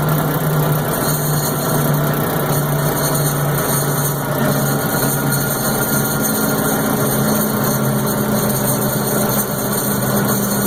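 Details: M925 truck at steady idle with a faint droning tone over the engine note; abnormal noise, source unknown.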